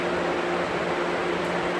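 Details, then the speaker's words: 2012 Galaxy box fan running on high speed: steady loud rush of air with a faint hum, no knocking or rubbing; the fan needs cleaning and is just noisy. "A little bit on the noisy side."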